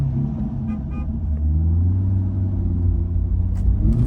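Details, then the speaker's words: 2020 Chevrolet Corvette C8, about 8000 miles, code P0700 stored, pulling away stuck in third gear in drive: engine note climbs and holds high with no upshift; transmission fault, revving without upshift. "Jesus. Shift, man. Come on, shift."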